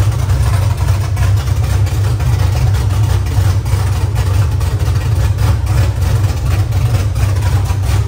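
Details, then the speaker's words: LS-swapped Nissan S14 at its first-ever start with no exhaust fitted: a deep, loud, steady open-pipe rumble with an even beat. Normal idle without an exhaust. "imagine what it sounds like when it's drifting it's be so loud I don't want an exhaust on me"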